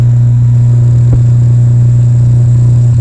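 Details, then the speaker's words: 1965 Silvertone Model 4236 tape recorder after restoration, scope on the speaker voice coil while testing the hum control pot: a steady low hum with no rhythm; mains hum in the amplifier output. "that's hum you're seeing right there let me turn this pot and we'll see if we can hear any more hum when I turn it"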